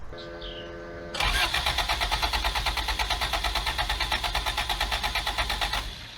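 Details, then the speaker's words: Abandoned Toyota AE86 on a hot Tennessee day: the starter cranks evenly at about three compression pulses a second but it never fires. Timing is believed set correctly. "okay it would seem that she's still not happy not on fire so that's a good start"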